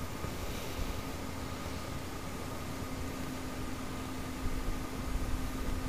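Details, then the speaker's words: Turbo 1UZ V8 with a new fuel system: twin 044 pumps, surge tank and external regulator set to 45 psi. The pumps give a steady, even electric hum and faint whine with fuel flowing through the lines; normal operation. "That's standard fuel pressure. So we'll lock the nut off. And we can hear the fuel going through the lines."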